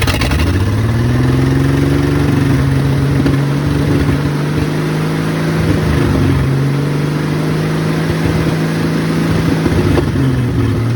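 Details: 1972 Ford F100 Custom six, front exhaust pipe missing, leaking carb tapped to free needle and seat, rigged fuel supply: loud raw bark climbs quickly then holds steady even run with no misses; healthy but uncapped.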